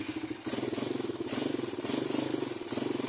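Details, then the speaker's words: Suzuki Raider 150 carb motorcycle running: steady beat with a knock as first gear engages, gears aligning when meshing; owner says this clunk is normal for this bike. "nangyayari yun kasi kailangan niyang i-align kasi yung gear doon pagpasok niya kaya yun para kang Mayon kang maririnig na parang pinupukpok so Normal lang yun ganon pagpasok ng first gear"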